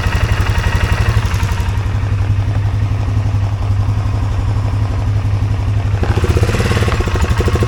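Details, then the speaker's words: 2023 Polaris Sportsman 570 idling near 2000 rpm instead of about 1200, hard to shift. A gap between the minimum throttle stop and the throttle plate holds it slightly open. Fast, busy idle pulsing changes as the plate is closed by hand. "It looks like there's a gap between your minimum throttle and that plate, because I can rock this. See that? There's a gap there. Let's turn the quad on and let me push this back and see if that calms that idle down."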